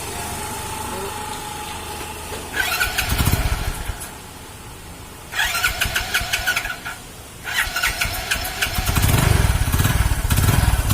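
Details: Hero HF Deluxe single-cylinder, crank-like noise that such bikes develop after about 3000 km; fires and revs in short bursts with sharp metallic tapping over the beat; top-end knock from damaged piston.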